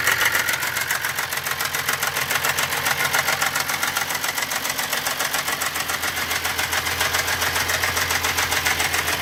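Fast, even light ticking, about three and a half per second, riding over a steady idle, a top-end tick from the cylinder head.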